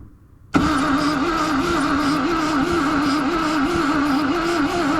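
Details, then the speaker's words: Rover SD1 V8 stage rally car, a barn find sitting over 20 years: steady starter drone with an even cranking wobble and no firing. There is no spark because the ignition coil has no 12-volt feed. "Nothing. Just turn the ignition on and off. See if we get a pulse spark. No."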